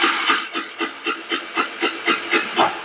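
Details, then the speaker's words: Chinese GY6 scooter with a new carburetor, CDI and ignition coil fitted four months ago: even starter cranking with no firing at all; crank-no-start from no spark, traced to a failed stator. "but as you can hear crank but no no start and that's customer complaint confirmed"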